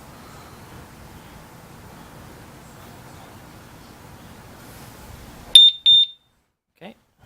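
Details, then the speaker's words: Urban UR6 alarm disc lock fitted to a Victory Empulse TT motorcycle: after about a 10-second wait, two short high-pitched chirps about half a second apart signal the alarm arming. "so it's on there tells to arm it you wait like 10 seconds"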